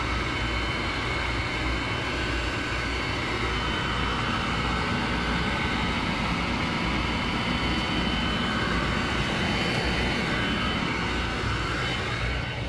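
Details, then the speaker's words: Furnace in a room beside the bed, heating only the upstairs, starting in the middle of the night: constant heavy roar with an airy rush on top, no pulsing; loud running noise that wakes the owner two or three times nightly. "that thing keeps me up two or three times a night can't get a decent night's sleep"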